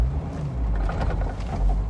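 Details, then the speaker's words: 1998 Jeep Wrangler TJ pulling off in first gear on an incline: low, uneven shuddering rumble under load, sometimes worse than others, overcome by revving; clutch judder on engagement, later fixed with new flywheel. "Did you hear that shuddering? Sometimes it's worse than others."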